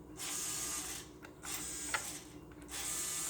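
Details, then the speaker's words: Cheap RC crawler with brushed motor: buzzing whine bursts about a second each while wheels are held at full steering lock; steering stays and strains, owner fears the motor will burn out. "Just the only thing, when you steer, it stays. You could hear the noise."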